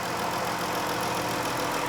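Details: 2011-2014 Chrysler 200 just after serpentine belt replacement, checked from the top: smooth, even idle with steady hum and no squeal, chirp or ticking from the belt; normal idle.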